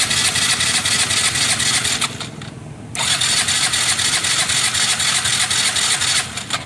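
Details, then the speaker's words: Yamaha Mio i 125 scooter showing error code 39: two steady cranking bursts at about four turns a second never catch, with no gasoline coming from the fuel pump. The fix is replacing the pump with a new one that includes its O-ring. "Ito yung injection pump na pre. I-start natin mga pre. Wala lalabas na gasolina."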